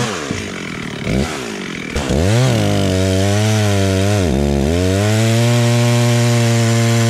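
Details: Stihl 036 just rebuilt with a new piston and head torqued to spec, tested outside: picks up cleanly through blips, then holds a strong, even high rev with no misses or bogging; running well.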